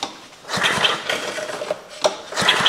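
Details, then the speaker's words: Restored 1956 rototiller engine on its recoil starter, spark plug not yet tightened and before oil was added: rasping ratchety pulls with puffs of compression, cranking freely and sounding ready to fire: recoil start cranking. "that sounds like it's going to fire let me get this plug tightened up just a little bit"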